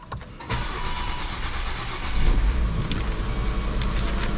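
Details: Volvo inline-five after oil-burning piston ring rebuild, first start: engine catches and settles into a deep, slightly uneven idle with an occasional stumble; missing a little.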